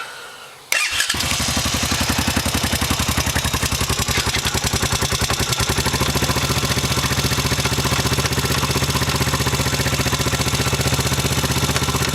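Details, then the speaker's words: 2007 Honda Foreman 500 ATV, close to 6,000 miles, jacked up on stands: engine runs steady but a popping noise comes from the transmission in first gear; owner suspects a chipped gear tooth, engine to be torn down. "Motor runs good and everything, but in first gear it's making a little bit of a popping noise."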